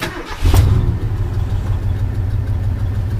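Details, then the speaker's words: Carbureted Bronco back running after a long break, choke not fully open: a lumpy idle with a soft repeating puff-puff in the exhaust and a slight shake, hesitating off idle; number two cylinder seems weak, cause unconfirmed. "I don't know if you can uh hear that on the exhaust but you hear that kind of a puff puff puff noise that's what that is"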